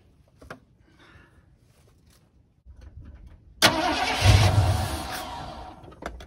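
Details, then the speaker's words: 1979 Ford F-150 Custom tool-body truck, sitting since 1999, restarted after fuel poured in carb bowls, ran three weeks earlier: cranks, catches with a roar that sags and fades, stumbling; owner suspects stuck-open carb float flooding it. "so she's being a little temperamental um it could be that the float is uh stuck open and it's just getting a little too much fuel"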